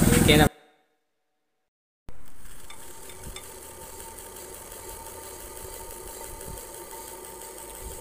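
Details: Old-version DC ceiling fan fitted with a new Carro AC/DC circuit board, first test run: brief thump and pause, then a quiet even hum with a faint steady tone, running smoothly with no knocks.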